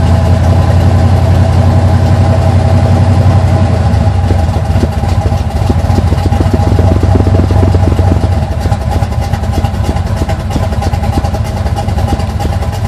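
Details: 1980 Sierra C15, junkyard L31 Vortec 350 (130k-mile pistons/rods, 9.5:1), Summit K1107 .488/.510 lift cam, Performer RPM intake, 600 Holley, Flowtech headers, Thrush turbo mufflers; cold start: loud, uneven loping idle, choppy low rumble, odd blip from big-lift cam; mic clipping.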